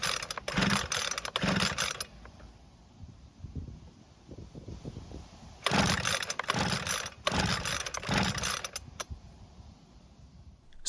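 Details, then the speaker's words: Ryobi leaf blower after its reversed fuel lines were swapped and air purged: several quick ratcheting rope-pull bursts with no firing at all. No-start later traced to no spark. "unfortunately, it didn't even try and start. Now, I have to wonder if we have spark from the ignition system."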